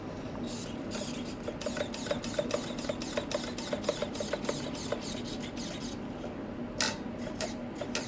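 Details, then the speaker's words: Budget digital servo (Aussie brand, made in China) sweeping back and forth in quick bursts of light crisp ticking, short even moves, no gear grinding, smooth and faster than a compared servo; healthy. "with a digital you can't hear anything which is pretty freaking amazing when I smooth like butter alright it's faster than the other servo"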